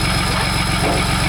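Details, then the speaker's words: 2008 Land Rover Discovery 3 TDV6 during rebuild, with no muffler fitted: rough throbbing idle, heavy low rumble like an old V8; engine noisy on the bottom end but okay up top, cause unknown. "It sounds like an old V8. >> So the engine is noisy on the bottom end, but >> but up there it's okay."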